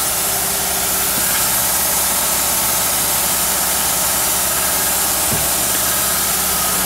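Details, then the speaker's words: Toyota Supra daily driver, running lean and losing boost, at idle: a constant airy hiss rides over a steady engine note as air escapes at loose intake couplers. Several intake joints are suspected leaking and are being tightened. "Sounds like a lot of stuff over here is leaking."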